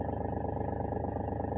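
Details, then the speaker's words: Mahindra TUV300 at idle, heard from the driver side: a steady low droning rattle with a fast even flutter, like something loose; diagnosed as a loose pipe under the bonnet, fixed with a piece of plastic. "यह जैसे कोई चीज loose हो गई हो सो इसको मैंने diagnose किया और रेक्टिफाई किया"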